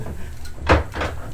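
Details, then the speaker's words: Early-style antique printing press at Illiana Antique Power Association history day, run slowly with paper fed and clutch engaged: slow, deep clunk once per turn as the platen closes on the type; normal impression, nothing loose. "i'll actually put one of these uh pieces of paper in there and engage it and you'll hear it go clunk there that printed it right there"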